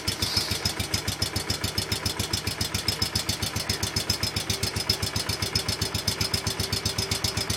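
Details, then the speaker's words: John Deere 110 Kohler single-cylinder engine after new wiring and a new coil, lightly choked, throttle cable broken: crisp, regular thumping at about four beats a second, steady and quiet with no misses. It runs healthy, though a governor problem remains. "This thing is sure quiet."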